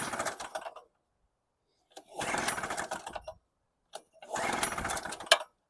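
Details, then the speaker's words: Storm Cat 700W Harbor Freight generator, 63cc two-stroke on 50:1 mix, original spark plug fitted: three one-second bursts, each dying, with silent gaps. Runs shorten each try until it won't start; fuel starvation or the float suspected. "Doing the same thing it did before. It would start, run for a little while, the next time a little less, and then finally, no matter what you did, it wouldn't run."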